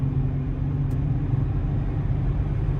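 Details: 2009 Nissan Altima at 60–70 mph after both rear wheel bearings were replaced, plus a valve cover gasket and oil change: only smooth, steady road rumble with no growl or rising hum; wheel bearings sound quiet.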